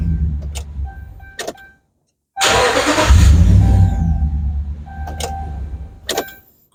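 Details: 2011 Dodge Ram cranks but won't start: rhythmic starter cranking about four beats a second that never catches. Loaded-circuit test shows ground fine but about a two-volt drop on the fuel pump power feed, so low pump supply voltage.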